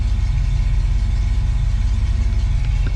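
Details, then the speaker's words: 1966 Ford Mustang after Holley Red electric fuel pump replaced failed mechanical pump, hot day: steady even idle about 650 RPM, below usual 800-900, smooth with no stumble or miss; healthy. "I'm idling right around 650 RPM feels pretty good doesn't feel like it's going to stall usually I keep it around 8 or 900 so it's actually um the RPM are down just a little"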